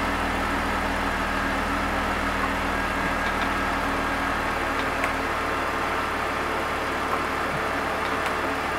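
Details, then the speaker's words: BMW E46 3 Series after DISA valve replacement, test-run with the DISA cable removed: steady, even idle with a constant low hum and no misses, hunting or ticks; the flap works smoothly and quietly. "perfect perfect everything's working as it should I'm removing the cable and I can hear the flapping thing working very smoothly and quietly"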